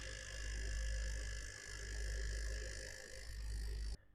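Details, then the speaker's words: New PC with MSI RTX 3070 Gaming Z Trio, fans at full speed with MSI Center Cooler Boost: loud, low fluttering whir with a slow pulsing rattle, then cut off; possibly faulty part, temperatures fine. Graphics card fan rattle. "here if I put on the CPU fans I put them on full speed right now and here if I use the MSI centers cooler boost for the graphics card you can hear the rattling"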